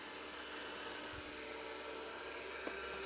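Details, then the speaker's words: MiniScribe hard drive in a 40-year-old IBM 5161 expansion unit on an IBM PC 5150, powered on after reassembly: thin constant high whine with faint clicks, spindle turning but loud "like a 747 taking off". "something's turning now that's like that's like a 747 taking off that's a good sign the spindle motor is"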